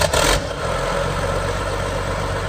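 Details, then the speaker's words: 1998 John Deere 850C LT dozer, John Deere 6081A 185 HP diesel with in-frame overhaul 300 hours ago, under 8,000 machine hours, new transmission hydros 1,000 hours ago; brief start then steady even low smooth idle, no knocks: normal start. "Starts up, runs good. Obviously rebuilt transmission, in-frame overhaul, all those things."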